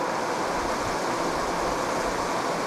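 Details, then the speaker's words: Exterior sound of a new Furrion Chill 14.5K BTU rooftop RV AC, installed with a conversion kit replacing a 12-year-old Coleman Mach 3, cooling toward 75°F: steady, even fan and compressor whoosh, quieter than the old unit; normal operation. "just go up and let you listen to what it sounds like outside doesn't sound too bad it's a little quieter than our old one"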